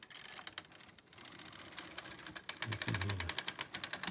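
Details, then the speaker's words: Toyota KS787 knitting machine after repair, pattern button selected, full bed: quick, even clatter of light clicks as the carriage slides across, healthy regular selecting rattle; every other needle now selected, pistons alternately selected on their springs. "rattle of the carriage, sounds good. And that's looking good to me."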